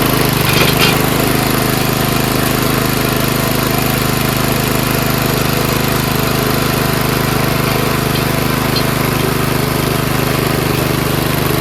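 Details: Old monster snowblower's small single-cylinder engine, stored winterized for years, now running on gas after a spray start on choke; it holds a steady, even drone with no misses, knocks or surging, a healthy run.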